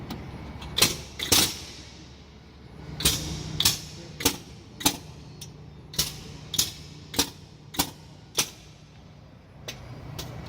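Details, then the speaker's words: Truck air brake system check, key turned on: sharp air chuffs in quick pairs and triples as the ABS modulator valves self-check in order (right front, right rear, left rear), then repeat. All four sound like they are working properly. "You're going to hear the valves check themselves to make sure that they're working properly. It's going to go right front, right rear, left rear, and it's going to do it again."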